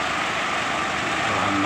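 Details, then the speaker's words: Small 7,500 generator set (GX-type engine) after freeing a stuck carburetor fuel flow from flooding: steady even buzz at constant speed with no surging or sputter; runs normally, CDI and carburetor replaced. "Oke setelah mesinnya hidup normal dan Jos sudah normal"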